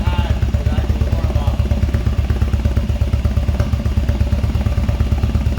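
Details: Cold engine not run in about a month, started after charger unplugged: loud, lumpy low thumping at idle with uneven beats and some clatter; runs rough, owner says it needs a tune-up. Cause suspected, not confirmed.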